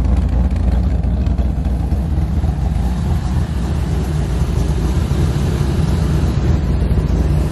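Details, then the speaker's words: C4 Corvette V8 with a small street cam, idling after TPS adjustment and coolant temperature sensor replacement. Deep, steady, even rumble with no hiss; idle much improved and no vacuum leak. "and you can kind of hear it a little bit but but now the car is starting to idle way much way better"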